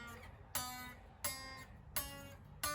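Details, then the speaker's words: Squier Affinity guitar during setup: single fretted notes plucked about every 0.7 s, each with a bright rattly fret buzz, worse further down the neck due to slight neck bow; D and G saddles to be raised to fix it. "now what fretbuzz is is when you fret the string you can hear it buzzing i shall try to give you an example of that so the fret buzz then there we go start hearing it buzzing"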